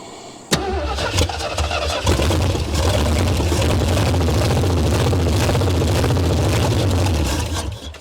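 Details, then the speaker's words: 1973 Ford Mustang Mach 1, 351 V8, sat abandoned over 15 years: starter churns briefly, then the engine catches on gas poured into the carburetor and holds a fairly steady low rumble under hand throttle before dying off; cranking and catching. "Oh yeah, way better. I like the sound of that."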